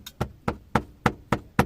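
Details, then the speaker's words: Car cabin dashboard with the engine off: six sharp hollow knocks, about three a second. A dash trim panel whose gap has widened or whose locks have loosened is knocking against the neighbouring part, heard on rough roads. "जब हमारी गाड़ी खराब रास्तों में चलती है तो ये दोनों पार्ट आपस में टकराते हैं या फिर इसके अंदर का जो लॉक है वो लूज होने के कारण आवाज करता है"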